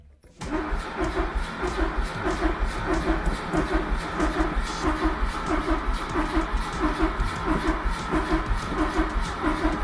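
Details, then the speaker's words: 1977 Fiat 124 Spider barn find, sat nearly 25 years, bad starter fixed, gas squirted into the carburetor: the starter churns the engine steadily for several seconds with no firing; cranks but no start, and spark is to be checked next. "Nothing. Well, guess it's time to check the spark, maybe."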